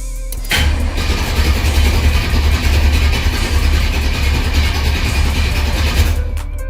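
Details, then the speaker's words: Cutlass after oil change, distributor unplugged so it cranks without firing or fuel to prime the oil pump: steady, even starter churn for about six seconds with no catch; no oil pressure showing while cranking. "So what I like to do is turn the motor over for a little while, let the oil pump work, get through the motor before it actually fires. And by disconnecting this distributor, it won't actually light off."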